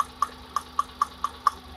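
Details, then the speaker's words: Hyundai Eon at idle with one spark plug cap pulled off during an ignition test: light regular ticking over an uneven, faint idle with vibration; misfire, one cylinder dead, and the idle returns to normal when the cap is refitted. "I'll be removing one of the spark plug cap like this and notice the idle of change okay all right so you'll notice that the idle change all right"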